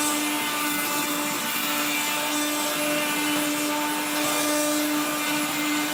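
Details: 1970s blue Regina Electrikbroom 3-speed vacuum vacuuming a floor: rough, gritty grinding over a steady motor hum with a low drone underneath, from motor bearings gone dry after someone washed the motor and fan.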